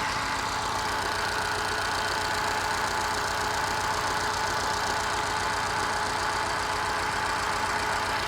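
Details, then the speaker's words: Moke engine on bench test, warming up, new distributor cap and rotor, excellent compression, no smoke: lumpy idle missing on one cylinder, briefly firing on all then missing again; owner suspects fuel/carburettor or a sticky valve, unconfirmed. "Definitely missing on one cylinder. I've done a compression test and the compression was excellent, so that rules out a valve actually. Not blowing any smoke."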